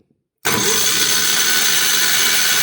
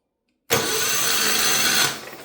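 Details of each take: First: Mid-1980s Kawasaki KF82D-X 8.5 HP engine (from a John Deere Gator) with a no-spark fault, cranked during a spark check: steady high whirring spin without catching, spark now present; normal cranking. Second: Mid-80s Kawasaki KF82D-X 8.5HP engine: the starter spins it in a steady high whir for about 1.5 seconds without catching. Cranks but no spark because the CDI box has no power; a bad ground is suspected.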